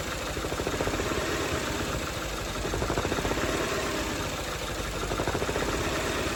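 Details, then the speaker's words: Peugeot after a redone rocker cover gasket, with oil leaked into the spark plug wells: an uneven, lumpy idle with irregular low thumps and a shaky beat. Misfiring, with cylinders 2 and 3 suspected. "Now she's misfiring. Now she sounds like a bag of spanners."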